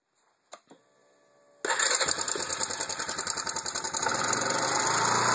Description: Valves or timing chain or?